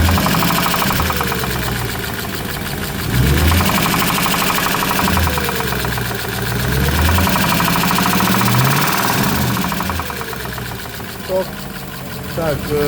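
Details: Audi A8 3.7 engine knocking: a dull, fairly regular knock about four per second over a rough idle, carrying into the top cover; internal knock of unknown source.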